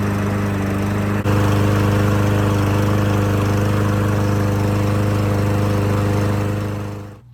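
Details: Troy-Bilt lawn mower after fitting a cheap Amazon carburetor to replace one that ran poorly warm with the choke off. A strong, steady drone at constant governed speed with no surging or sputtering, then a clean shutdown; it runs properly.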